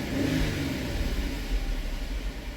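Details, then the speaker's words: 2017 Dodge Durango 3.6, 133,000 miles, intermittent cylinder 2 misfire: low, uneven stumbling chuff as revs drop back to low rpm. The misfire clears when revved and returns down low; an ignition coil is suspected, not confirmed. "Down low, it just started misfiring again. That's usually a sign of an ignition coil though."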